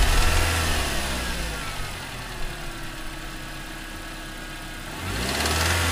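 Deep rhythmic knocking under a rev that drops back to idle, the knock following engine speed; a spun bearing in the bottom end.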